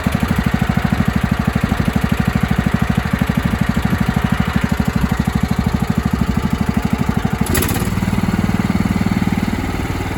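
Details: 1997 Craftsman mower, 16 hp Kohler Command single-cylinder, running rich, after carb-spray test: engine thumps along at a steady, even beat, then winds down and stops; runs fine, owner wonders about a head gasket leak hissing on shutdown.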